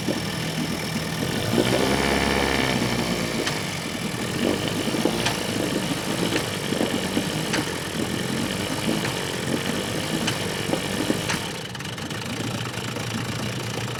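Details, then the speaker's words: Vintage outboard on an abandoned boat, running after a last-ditch carburetor needle fix on a 100-degree day: rough, uneven running with irregular sharp pops; at first thought to be backfiring, it is misfiring and getting worse, cause not yet found. "This thing is now misfiring, which I thought it was just backfiring at first, but now it's way worse."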